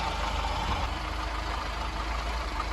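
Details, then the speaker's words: Austin Allegro warmed up, air filter removed, idle screw turned about an eighth clockwise to fix stalling at lights: low steady idle, even beat, no stumbles, already more comfortable after adjustment; normal idle. "so I've turn that now literally just about an eighth of a turn clockwise as you can hear it's already a bit more comfortable"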